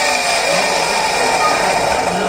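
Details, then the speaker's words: CRI Virat 1.5 HP centrifugal pump, 2x2 inch: harsh steady grinding roar over motor hum from badly damaged rear bearing. "तो इसके bearing ख़राब है, तो हम इसके खोल के इसके बैरिंग चेंज करेंगे।"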